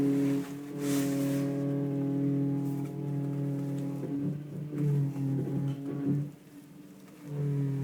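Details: Audi A4 2.8: steady low humming whine with a higher overtone that rises and cuts out as the steering wheel is turned and stopped; power steering pump suspected, not confirmed.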